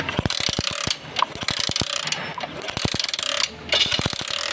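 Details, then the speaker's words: Honda CD 70 with a slow-speed missing problem, output from the plug coil's yellow and black wires being tested: crisp, even snapping sparks, about eight a second; the spark sounds right, yet the measured current is low, so another coil will be tried. "ये देखा दोस्तों, यहाँ पे आवाज़ तो सही आ रही है करंट की, तड़ की आवाज़ आ रही है।"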